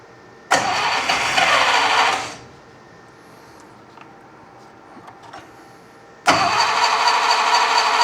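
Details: Unimog 404 fed fuel by gravity from a tank straight to the carburetor, bypassing the failed mechanical fuel pump: a short burst of running that dies, a pause, then it fires and keeps running, though misfiring.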